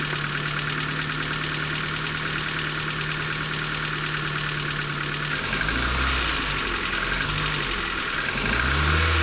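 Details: 2008 Ford Focus mk2 1.6 Zetec petrol, about 170,000 km, Castrol Magnatec 5W-30, cold after sitting overnight, mic at the engine: light rapid ticking at idle for 2–3 minutes. The owner suspects the valves; unconfirmed.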